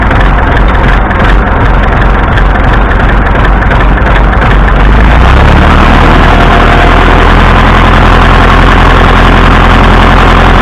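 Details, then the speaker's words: Massey Ferguson MF 165 tractor at heavy idle with a steady dull knock, about three per second, riding the firing beat despite plenty of oil pressure; the owner suspects a rod knock, cause unconfirmed. "I think that's Johnny Rod in there knocking his way out."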